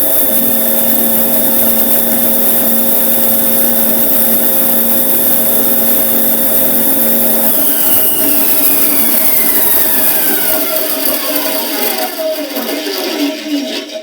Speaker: Couple of things I was looking for there when I turned it on. Was it running true or straight up and down?